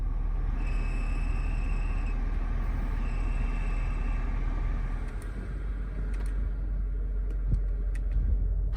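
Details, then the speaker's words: 2008 BMW X5 E70 4.8i blower before replacement: the fan rushes steadily while a thin, high chirping squeak comes and goes, worst on low settings, from the worn blower motor; the noise is gone at all speeds after replacement. "Before the replacement, there is a lot of noise especially on the lower setting but now there is no such thing thru-out any wind settings"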